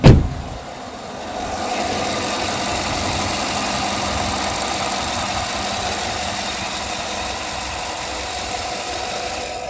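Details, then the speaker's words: Truck after the clacking, lifter-like vacuum pump was removed from the belt and deleted, with the brake booster connected to the intake: smooth, even idle with no clacking. "So the noise, it was coming from that bullshit power vacuum pump. So hope to God I fixed that little problem."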